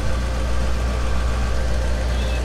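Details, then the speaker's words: 1990 Mercedes C126 560 SEC, Euro-spec AMG car, long-sitting: a low, steady, smooth engine hum at idle with no stumble, knock or surge; the idle is better. "i think it's doing a lot better already though sounds a lot better idle is better here so"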